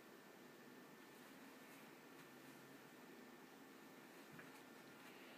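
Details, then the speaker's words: Power Mac G5 after fitting the air deflector, official Apple FX-5200 graphics card and 3GB RAM: only a soft steady airy hush, no whine or rattle; the fans run slower and the machine is much quieter now. "it's much quieter now question is how does it feel coming out of the back here and the machine is a lot quieter now the fans don't run this fast"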